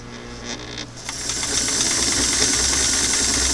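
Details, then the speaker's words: Singer sewing machine motor with restored clam-shell foot pedal after adjustment: starts softly then climbs through slow, medium, faster to steady even whirring hum, no surging; normal motor run with smooth speed control. "that's good slow there's medium right faster pull out right there I'm starting to hear the motor hum"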